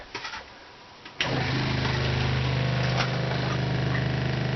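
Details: RV water pump after replacing the copper plumbing with PEX, refilling 2 gallons at a time: after a short pause the pump kicks on with an even low pulsing hum, about four beats a second, while the lines pressurize; normal pump running.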